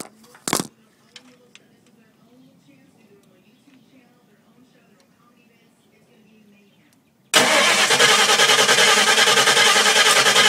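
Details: 1979 Fairmont fitted with a 2000 Explorer engine, A9L computer, TFS stage 1 cam and remote TFI, cranked with a jumper wire to the starter. Even cranking at three-plus beats a second, never catches; the TFI signal reads 3.91–4.65 V while cranking. Cranks but no start.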